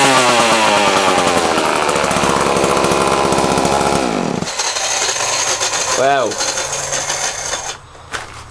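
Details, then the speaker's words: Homelite chainsaw with little use, cold started on choke after sitting a long time, following a carburetor clean-out. Fires on the first pull and holds a strong, buzzy high-pitched two-stroke run before dropping back: normal running. "Fuck me, that surprised me, Christ. Never expected it to start like that. Fired first pull."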